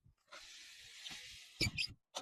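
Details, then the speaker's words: Car window glass squeaking with a sharp hiss as it slides, then a clunk: dirty edges and aged, hardened window frame rubber rubbing the glass; fix is rubber silencing lubricant. "每一次开关玻璃啊，都会有这个滋比较尖锐的声音出来。那这东西的原因啊，第一个是当然是这个东西脏了啊，边缘比较脏。"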